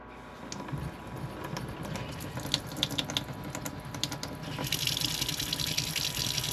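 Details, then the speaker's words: RV fresh-water pump running off tank before installing a smart pump controller: faucet stream surges and splutters, pulsating and splattering water as the pump cycles. Pulsating flow from cycling pump. "See how it kind of pulsates there? That's full just kind of splatters water everywhere."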